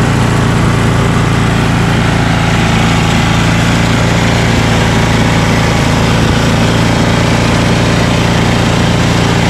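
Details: Ariens ST1128 dual-stage snowblower, 11HP Tecumseh Snow King engine, after carburetor cleaning and pilot jet fix for surging, cold day. Despite an apparently ~5HP carburetor, a loud, steady drone holds one speed with no surging over ten seconds: normal run.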